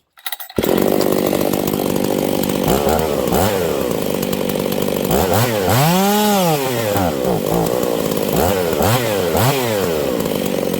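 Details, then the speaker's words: Husqvarna 272/268/266/61-type chainsaw: revs sweep into a thin screaming howl and hang high, racing lean even with high jet turned out an extra quarter turn; lean running from crank seal air leak. "this thing is going super lean okay I'm gonna turn this High jet out another quarter turn it should be way too rich right now but it's not"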